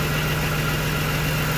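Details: BMW E46 M3 (S54 six-cylinder, 139k) at warm idle while bleeding air from the coolant after a water pump and cooling system overhaul: steady, even low hum with no knocks or misses. Normal idle.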